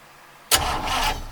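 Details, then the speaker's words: 1953 Oldsmobile Rocket Super 88 barn find, valve covers off, battery freshly hooked up: a sharp clack as the starter engages, then a second of even churning that fades; engine turns over freely on the key. "since we got the battery hooked up let's see if the engine will turn over with the key"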